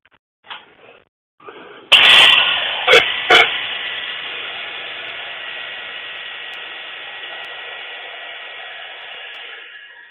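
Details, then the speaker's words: Table saw electric motor during rebuild, spun up once mounted: thump at start, then a hissy whir and steady high whine from a worn, grinding front bearing; motor kept in use for now. "well you can definitely hear the bearing in the front"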